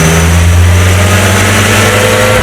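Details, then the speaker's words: 1968 Commer 2500 van, out of gear, needing a fair amount of choke: under slow throttle the engine note climbs smoothly with no stumble, while quick acceleration makes it die. It is getting fuel, with carburetor or spark suspected. Hesitation on quick acceleration. "Once again, slow acceleration works, but quick acceleration is the problem."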